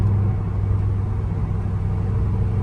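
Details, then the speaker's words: C5 Corvette test drive after rear wheel bearing replacement: steady low road rumble with no hum or growl rising with speed; rear bearings now silent, previously worn-out ones obviously noisy. "The noise would have been like blaringly obvious in here. It's silent. This sounds like my daily. Just silent."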